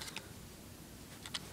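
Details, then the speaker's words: Failing hard drive removed from an iBook G4: sharp, dry clicks in small pairs about once a second over a quiet hiss, the click of death; replaced with a new drive. "next reasons you can hear is doing the click of death"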